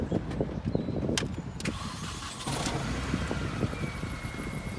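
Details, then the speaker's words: 2002 Mini Cooper S at idle right after replacing the whole exhaust system, whose box had broken away: engine catches and settles to a steady, even idle with a low, clean exhaust note, no rattles or blowing leaks; sounds a lot healthier. "Sounds a lot healthier. Yes, does sound a lot healthier."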